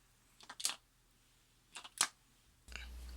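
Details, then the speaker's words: New sump pump float switch, replacing an old float that would not click, tipped over by hand: two crisp metallic clicks as the switch toggles cleanly, working normally. "it does. It does click, so it works."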